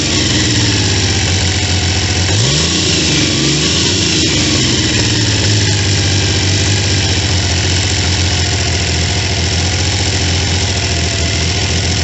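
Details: Triumph T150V triple after heads and cylinders were removed to fix oil leaks, started on second kick (first kicked back); steady even idle with a quick throttle blip, smooth regular firing while oil return to tank is checked; normal idle and rev.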